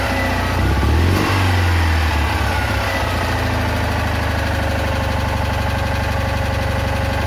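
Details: Citroën Ami 8 flat-twin, hot: idle beats along but keeps dropping pulses, an uneven stumble through an otherwise steady run; ignition misfire the owner attributes to a dead condenser, with heavy points sparking.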